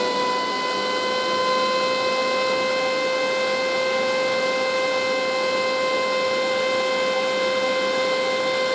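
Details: Chinese 12V 4A turbo blower exhaust fan in a lab: loud, steady high-pitched whine holding one pitch like an air raid siren over an airy rush; cause unknown.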